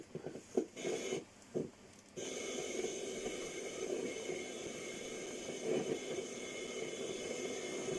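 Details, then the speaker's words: 40-year-old Walkman, run on external power supply after corroded battery terminals: erratic hiss and crackle bursts then steady rushing noise from the speaker; strange audio output, display barely readable, likely supply not coping. "Lots of strange sounds coming out of this. Can you hear that?"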